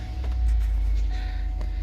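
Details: 2013 Cadillac Escalade AWD Premium V8 at idle just after an oil pressure sensor replacement: a deep, smooth, even rumble with no ticking or knocking, and oil pressure reading a normal 48 psi.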